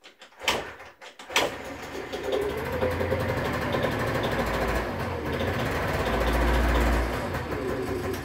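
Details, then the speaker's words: Generic Explorer Race GT 50 scooter with low compression (about 4 bar), after cranking: it catches but the beat wavers and stumbles; rough running, carburetor to be inspected. "ihr springt auf jeden fall schon mal an läuft nicht gut"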